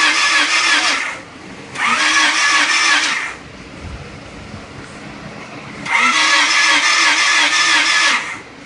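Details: D16 engine, newly rebuilt, with spark at the plugs and fuel present in the cylinders: starter cranks in two long, even bursts but the engine never catches; crank but no start.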